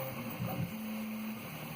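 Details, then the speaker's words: Prusa 3D printer after the rattle was traced to the extruder fan and the stock fan refitted, in normal mode: soft, steady whir with faint constant tones and no rattle or tick; running quietly. "but so this is in normal mode no more rattling it's quiet i barely hear it from my uh over here my desk"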